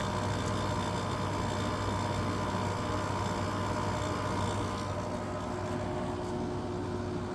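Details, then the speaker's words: Whirlpool ACM052XH1 5000 BTU window air conditioner, LG rotary compressor kicking on in cool mode; steady low hum with rough buzzy drone, compressor starting to make noise, noisy compressor. "Oh, and there's that LG rotary. Starting to make noise."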